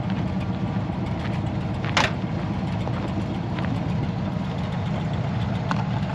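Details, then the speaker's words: 1970 GMC half-ton pickup V8, small unmuffled cherry-bomb-style mufflers off headers: deep loud burbling, steady lopey rumble, no knocks; engine runs smooth, normal idle with loud exhaust. "sounds good though the engine runs nice and smooth just sits there and prayers all day long no chicks"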